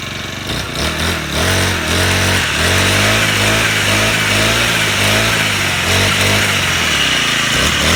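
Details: Four-stroke grass trimmer after carburetor replacement, previously would not rev and stalled: now runs steady and crisp, picks up cleanly, holds a smooth buzzing rev without stumbling; engine healthy.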